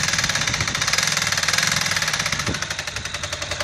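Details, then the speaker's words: Ducati Monster 695 at idle: fast, sharp clicking, chopping noise over the exhaust beat, location unclear; owner suspects oil pump, unconfirmed engine knock. "Hey, maybe some of the experts out there can tell me the noise that I'm hearing here. I can't identify it. Hear that clicking? That like chopping, clicking noise?"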